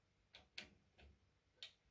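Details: AEG Ceran hob/cooker energy regulator switch, adjusted after cooling down: four sharp, dry, crisp, high ticks in two seconds as the regulator contact snaps over while the timing screw is turned left and right; normal regulator clicking.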